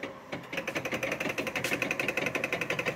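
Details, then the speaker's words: Vintage Cyberlight moving-head fixture powering up with fans on and lamp not struck: rapid, even chattering pulses about three per second over a steady high whir. Normal reset noise. "is that what it's supposed to sound like yeah it's funny all highend fixtures sound like old guys sand beer"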